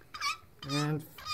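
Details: Hand-pumped hydraulic crimping tool crimping 5/16-inch wire rope with copper oversleeve: three short squeaks rise and fall with each small pump stroke as pressure builds, the ordinary squeak of the hand hydraulic pump working.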